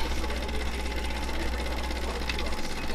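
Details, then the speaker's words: Zenith record player after adding rubber band pieces to the drive part: fast, even, loud buzzy chatter with no speed wobble; harsh but working much better, now changing speeds without the earlier ragged noise. "It's very angry. But it is working a hell of a lot better than it did."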